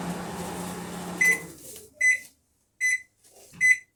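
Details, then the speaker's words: Panasonic microwave after capacitor replacement, heating a cup of water for about 30 seconds: even low hum runs smoothly, then stops with four short beeps; water heated, working normally again. "Mas a água esquentou aí mais um que volta a funcionar."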